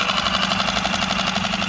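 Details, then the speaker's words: Yamaha F5 outboard after head-gasket and lower block-gasket replacement (previous emulsified oil, smoke with water); slightly warmed, second start, at minimum throttle: quick even pulsing, no misses or knocks, smooth idle; water stream steady, gaskets holding. "Первый запуск это я запустил и не глушил. И сейчас второй. Все на минимуме."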